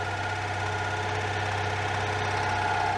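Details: 1992 Oltcit that refused to run, after carburettor work and cleaning the solenoid contacts: engine catches and settles into a steady, low, even idle with no knocks or misses; a healthy start.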